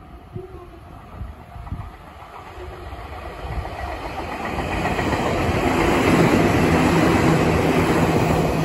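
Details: Meitetsu 6500 series train (6506F) passing Sakyoyama station: steady thump about four times a second rising with passing cars; wheel flat spot.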